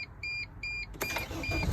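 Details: 2003–2006 T1N Sprinter diesel van that intermittently only clicks on start: two dashboard chimes, then it cranks and fires promptly into a steady rumble after the battery was disconnected; the fix points to the starter relay.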